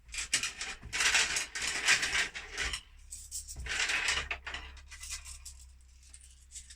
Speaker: I'll leave that for now because it's not floated correctly, this machine, so you could hear the money was dropping right to the bottom there, so it thinks the hopper's full inside, but it isn't. It's nowhere near full.